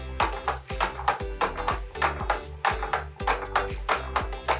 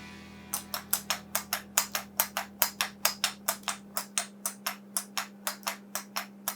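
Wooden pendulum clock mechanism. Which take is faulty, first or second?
first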